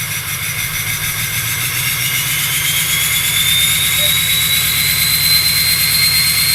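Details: 2005 Ford F-350 FX4 6.0L Powerstroke (oversized Garrett turbo, SCT tune, EGR delete, ARP studs, 155/30 injectors, AFE 4" turbo-back exhaust) at start-up, settling into a steady high idle with a loud, clear turbo whistle slowly climbing in pitch. This is normal turbo sound.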